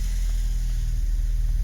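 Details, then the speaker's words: 1981 Honda Accord, about 1780cc carbureted four with a three-barrel carburetor and automatic transmission, in for service: a steady low, even idle rumble with a smooth regular pulse and no knocks or misses; running healthy. "Yeah. Runs good."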